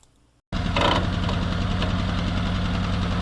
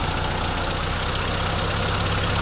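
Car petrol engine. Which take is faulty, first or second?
first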